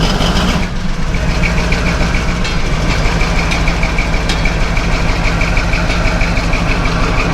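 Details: Caterpillar D11 bulldozer diesel, first start after sitting 5 months: deep, steady rumble at idle with an even beat, no misses or loud knocks; no warning lights flashing, healthy normal idle after cold start.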